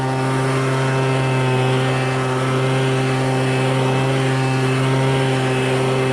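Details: MTD Bolens BL125 two-stroke leaf blower at full throttle after carburetor repair and adjustment for no-start and bogging: smooth constant high buzz with no bog or hunting; properly tuned, carburetor dialed in.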